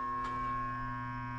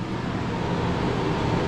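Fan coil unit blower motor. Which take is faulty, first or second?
first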